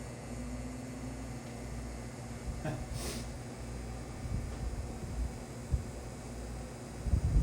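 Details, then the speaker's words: Unrestored vintage tabletop fan, possibly 1920s–30s, with a chewed power cord, plugged into a protected outlet: the motor gives a low steady electrical hum on power-up rather than a clean spin-up; cause unknown. "There is a hum from the motor. So, I'm going to unplug it. You might have heard that. You probably could hear that hum on camera."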